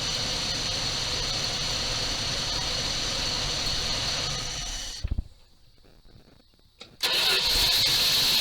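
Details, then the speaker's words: 1978 Dodge D200 crew cab, 318 V8, abandoned 17 years, supposedly with a broken crankshaft that clattered. Restarted, it idles steady and even with no ticking or knocking, running like a top, so no crankshaft noise is heard. "I hear nothing. Boy, that thing's running like a top."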